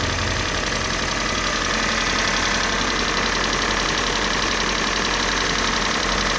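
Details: Kia Sportage 3, G4NA engine on Total 5W30 oil: quick light tapping, roughly three beats a second, over steady idle; engine knock, cause not yet found.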